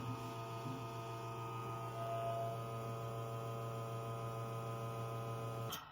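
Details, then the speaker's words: Espresso machine backflush cleaning with half a spoon of cleaner in portafilter, continuous and single-shot buttons pressed together; steady low pump hum about six seconds then cuts off cleanly, automatic rinse repeating five times, normal. "The machine automatically rinses itself a total of five times and it keeps continuing the process."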